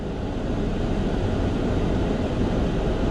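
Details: 2006 Jeep Grand Cherokee at operating temperature, after a thermostat replacement, radiator flush, coolant refill and bleeding for overheating and heating issues: steady, even low idle rumble with no knocks, ticks or whine; engine healthy and heater working.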